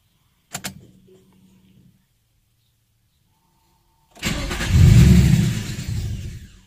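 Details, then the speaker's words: Nissan VQ35DE (G35/350Z), warmed up: cranks, fires, revs briefly, then idle sags and it stalls. Owner hoped a throttle body reset would fix it and performed the idle relearn. "so if you're watching the last video I'm sure you will see that I was having issues with the car stalling on me so this happens after the car warms up I hope it's a throttle body reset"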